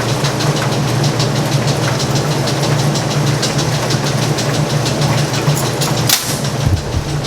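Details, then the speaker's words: Speed Queen top-load laundromat washer in spin cycle: steady quick ticking over the loud spin drone, keeping pace with the drum; idler pulley moving back and forth, believed bent, and drive belt going bad. "Now it's already started in the spin cycle and it's making a ticking noise. So we need to find out why it's making a ticking noise. That's part of the problem. Moving back and forth is your idler. It must be bent."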